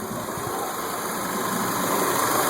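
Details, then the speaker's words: 2002 Mitsubishi Lancer that had a bad idle and no start, after fuse replacement: an even, steady idle hum with no misses, stumbles or surging; normal idle. "It came up and um had no issues. And so this is the way it sounds."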